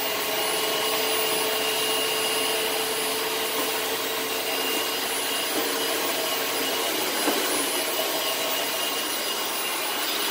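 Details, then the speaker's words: Vacuum (Facebook Marketplace find) running with a steady high-pitched suction roar and a faint hollow droning resonance plus weird wind-down, only when the cyclone assembly is attached; owner suspects the cyclone assembly is clogged and needs cleaning. "and there is a bit of a weird wind down but it's only whenever the cyclone assemblies connected so I'm pretty sure the cyclone assembly needs to be cleaned out because that's only that sound only resonates whenever the vacuum is on with the assembly attached"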